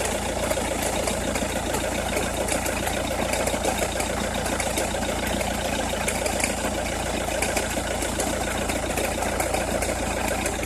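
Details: Opel Meriva, cold engine at idle: uneven crackle of sharp ticks, roughly one a second, over a steady drone, only when cold or at very low revs, stops once warm; noise localised to one side, cause unknown.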